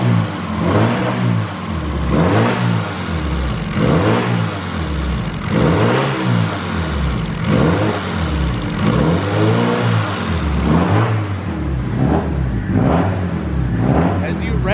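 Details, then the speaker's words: Honda Civic with suspected TPS issue, idling: engine tone changes in slow regular swells as fuel pressure drops from 50 to 20; fuel pump problem, possibly foam in the filters (suspected, not confirmed). "but it drops to when it's sitting there and you hear it change tones the fuel pressure is going from 50 down to 20."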